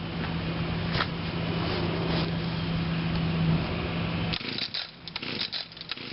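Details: 2011 Echo PAS 230, 22.8cc two-stroke, still breaking in and harder starting than the owner's other Echo tools, running cold on a 92°F day: a steady, even idle buzz for about four seconds before cutting out, so it is running normally.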